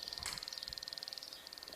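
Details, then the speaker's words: Electrolux Turbo Economia 8 kg washing machine that won't respond: touching a control-board connector makes a fast cricket-like crackle while LEDs blink; owner suspects the connector and is about to remove and clean it; intermittent electrical arcing at a contaminated connector. "Olha, faz esse barulhinho tipo um crackzinho de grilo e fica piscando os LEDzinhos aqui, ó."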